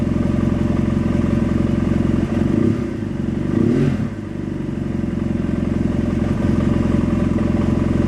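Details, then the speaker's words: 2009 BMW F800GS with Dynojet Power Commander 5 Autotune, secondary air system disabled, warmed up, Autotune inactive: idle near 15.5–16 AFR beats steadily but stumbles with loping pulses, slightly rough idle from lean mixture. "you can hear that it's starting to run a little bit rough it's not too bad now"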